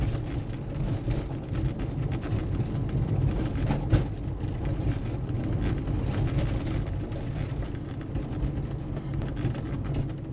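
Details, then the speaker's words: Porsche 911 after shock absorber replacement to cure squeaking, driven at 30 km/h over a pothole-ridden test road: low steady road rumble with soft thumps over bumps, no squeak or creak; front suspension now quiet, difference like night and day. "ne alles toop ne alles top und das hört sich also das ist ein Unterschied wie Tag und Nacht"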